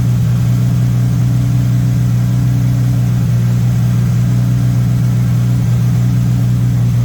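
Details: MK1 VW Rabbit with Weber 32/36 carburetor, no choke hooked up: fast, even idle, steady drone, no misfires; carb idle screw set too high, owner suspects an audible vacuum leak, later set to about 1100-1200 rpm.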